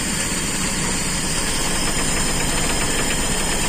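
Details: Toyota Kijang carbureted engine after fixing severe limping, shaking running: steady even idle with no stumble or misfire shake, running smooth and settled; normal idle.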